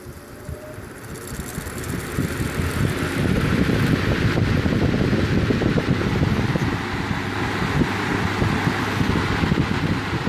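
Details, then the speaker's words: Vintage 15" Lasko floor fan after blade tweaking and servicing of a loose blade hub, on high speed at 110–117 V: a steady, even blade whoosh with no wobble or rhythmic thumping. It runs smooth with minimal vibration. "that's pretty good minimum vibration that's at 110 volts 117 that's on the high-speed still minimum shake"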